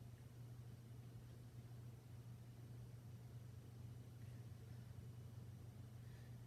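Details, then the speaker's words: 52-inch first-generation Harbor Breeze Springfield ceiling fan on medium speed: steady loud low motor hum that never varies; owner suspects a bad capacitor, not confirmed. "It's medium. It hums a lot."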